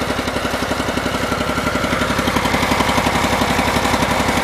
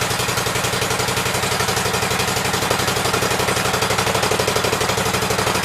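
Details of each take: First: Cub Cadet garden tractor, possibly an 1884, with an 18 hp Command twin, warm: a steady loping beat about four a second, running only on the left cylinder because the right-hand coil is bad. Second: Cub Cadet twin-cylinder engine after fitting a new coil and setting the gap, shroud on and air filter off: steady, even beat with no misses or knocks; running well on both cylinders.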